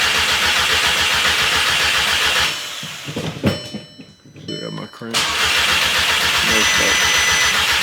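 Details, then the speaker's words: VW MK6 GTI with a replacement engine just installed: even starter cranking, a pause, then more cranking that never fires while the immobilizer code stays active; fuel smell noted; crank no start. "Still got the crank. No start. I'm smelling fuel though. I tell you that much."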